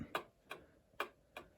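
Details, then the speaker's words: 110-year-old Ansonia Blackbird clock movement, freshly oiled at pivots and remounted in case: ticks unevenly spaced, short gap then long, about two and a half a second, not an even tick-tock; clock is clearly out of beat. "That's way off. It should be very easy. It should go tick tock, tick tock, tick tock."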